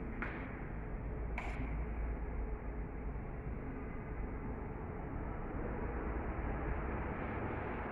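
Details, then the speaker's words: 2000s Crompton Greaves Exotica 48-inch 4-blade underlight ceiling fan (280 RPM, 60 W, 220–240 V) after reassembly, switched on: low, steady hum with no ticking, scraping or wobble; runs smoothly with strong airflow and speed. "let's turn it on first always awesome airflow awesome speed"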